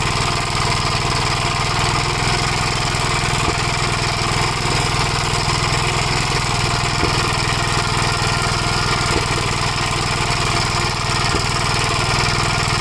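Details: 1956 Gravely Model L single-cylinder under load, governor removed, after full-throttle running: rattling drone with occasional sharp pops, smoking; owner suspects oil-fouled plug, possibly broken ring; carburetor and points fine; unconfirmed.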